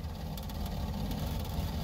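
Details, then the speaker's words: Boat engine with Holley Sniper EFI on a hot restart, IAC set to 20%: a lean surge at startup, then a slightly uneven, wobbling idle as the mixture goes too rich. "see if it'll go in there now it's going too rich"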